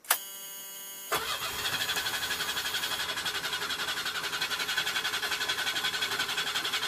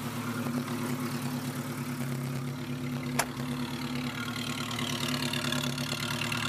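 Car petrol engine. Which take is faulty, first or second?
first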